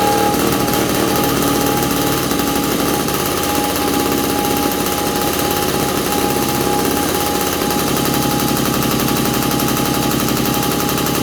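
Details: 1983 Honda QR50, 49cc oil-injected two-stroke single, running on choke after the fuel was turned on during revival: a steady, crackly beat of about four pops a second. A missing bolt may have let in extra air.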